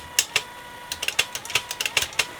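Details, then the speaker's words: Technics RS-M230 cassette deck after belt replacement, power on with motors running: crisp light clicks as the transport shifts, faint steady motor hum; mechanism engages cleanly and sounds fine. "let's get that test power on motors running give that a little tickle oh yes this is better"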